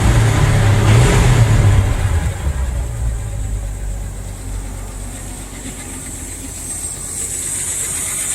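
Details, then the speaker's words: 1978 Ford F100, odometer 31,000 (likely about 80,000 original miles), started in neutral: brief rev after start then smooth steady low idle with no hesitation, misses or knocks; engine sounds healthy. "no hesitation at all there was the radio she sounds good"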